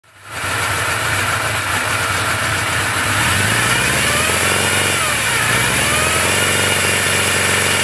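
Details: 1981 Suzuki GS850G with the cam chain tensioner installed incorrectly: the engine starts and idles with a thin, steady cam chain whine riding over the exhaust note.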